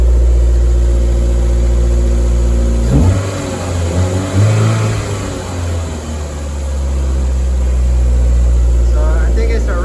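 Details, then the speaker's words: Toyota MR2 with a freshly swapped 3SGTE Gen4 engine, exhaust now fitted, coolant being topped up to burp the system. Smooth, even idle, then clean rev blips that rise and settle without misses or knocks. Healthy engine. "Craig, you want to throw some more coolant? These are excited. Man, this thing sounds smooth."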